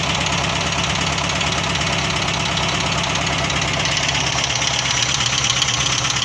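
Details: LuAZ, first start after purchase: rough idle with a loose, uneven knock of about three beats a second under noisy engine clatter. Strange knock at idle, cause unknown.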